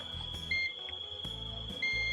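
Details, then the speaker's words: Panasonic air conditioner control board that won't turn on: multimeter continuity test gives a steady beep across the bridge rectifier's AC input pins, confirming the rectifier is shorted. "เห็นมั้ยช็อตช็อตจริงๆเพื่อนๆเพื่อนๆก็ลองสลับมเตอร์ดูนะครับสลับสายมิเตอร์ดูอีกทีเพื่อความชัวร์นะครับอ่าเห็นมยช็อตจริงๆ2ขานี้นะครับเป็นฝั่งของไฟเข้านะครับ"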